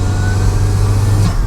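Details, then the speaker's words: Turbo Toyota MR2 with the downpipe refitted, driving with the engine right behind the open cabin: a steady engine drone pulling hard under load with a faint turbo whistle, reaching 5 psi. Normal boost under acceleration. "oh yeah, we hit 5 pounds. And you can hear it too."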